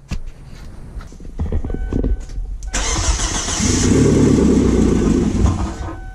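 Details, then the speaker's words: 1999 Kia Sportage during fuel pump install, at the relay step: starter whir, then a brief rough catch that fades; the engine is expected to start only briefly, not to keep running. "all right now when i try to start it it shouldn't start not for long"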